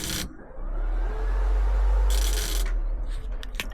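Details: AU Falcon burnout car thermo fans, newly wired to a switch through a relay and 12 V: fan kicks in with a steady low whoosh and runs evenly between a few handling clicks; working normally.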